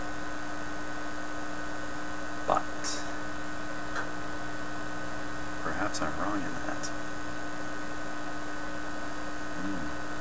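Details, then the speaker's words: Viking Model 324 solid-state record player, made in Canada for Eaton's and brought in for running too fast: a steady low mains hum/buzz from the amplifier, source unconfirmed; typical of this vintage and inaudible while a record plays. "the basic message is it's kind of inherent these kinds of record players and the concept is these little noises are unimportant when the record's playing you cannot hear them"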